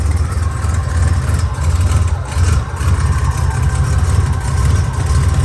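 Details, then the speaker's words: 1987 Buick Grand National turbo, 32,000 miles, abandoned 12–13 years, after pulling a part meant to cure the bloop-bloop loading up: deep, uneven, lumpy burbling run, no better, still fat with fuel smoke; vacuum lines look rough, cause unconfirmed. "Don't sound much better at all. So fat. So much for that. And as you can see, that was fuel smoke. And it was fat."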